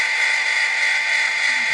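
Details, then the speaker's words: Newly installed HyGain AR-303 antenna rotor, tested with the control box before full rotation: even, steady motor whine from start to stop, no binding or labouring, stops when it should; normal running. "it sounds good no binding uh it stopped when it was supposed to"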